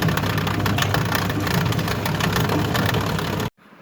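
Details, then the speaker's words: Toshiba 8 kg washing machine during spin: loud, rough droning rattle runs steadily then cuts off sharply; very annoying noise from the drain pump, which is replaced. "الصوت اللي سمعتوه ده طبعا صوت مزعج جدا اثناء عمليه العصر الصوت ده يا جماعه صوت طرنبه الطرد"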